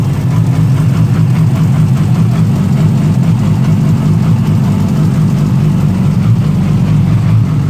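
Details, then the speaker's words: 2008 Yamaha R6 with Two Brothers slip-on, rough idle for months, worse cold but present warm; a fast idle that surges and dips instead of settling; RPM bounces, cause unknown; a cam chain tensioner was suggested for the ticking. "Having a little bit of a idling problem with this with this uh R6. Especially when it's cold. Even when it's not, it sounds really uh jerky."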